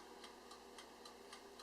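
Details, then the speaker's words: Oster TSSTTVCG03 convection countertop toaster oven with turbo convection switched on for the last 5 minutes of baking lasagna: quiet steady fan hum under crisp timer ticks about four per second, nothing rough; fan not powerful but working normally. "It's not too loud at all. I wouldn't call this a hardcore convection oven by any means, but it certainly does help."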